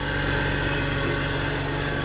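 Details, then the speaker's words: BMW E46 325ti M54 after CCV delete, catch can install and idle control valve cleaning: smooth even idle with steady firing and only a faint light tick up top, known to owner; normal idle. "It seems happy. It does seem happy. There's a little tappy tap on the top, but I know about that."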